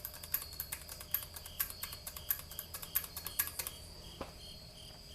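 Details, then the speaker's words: R80-Z garage door operator converted to 10-foot rail and full chain drive, limits maxed: relay clicks sharply and irregularly, a few per second over faint hum, trying to pull in but not engaging every time after greasing the levers; owner tried tightening spring, cause unknown. "but now it's like it's thinking what do i do it's trying but it's not it's not working every time"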